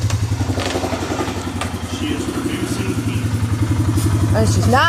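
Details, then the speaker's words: Suzuki Vinson 500 quad warming up after head and cylinder machining, a new head gasket and new oil: a steady, even single-cylinder thump. It is producing heat without smoking or leaking, a healthy idle that sounds better than the very noisy engine before. "sounds better with the new oil it was very noisy before"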